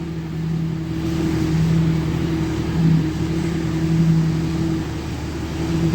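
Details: 2003 Dodge Ram 3500 dually diesel idling after refill: even low hum whose load note shifts as the wheel is turned, power steering now working, ABS sensors replugged, no leaks or funny noises; pump running normally.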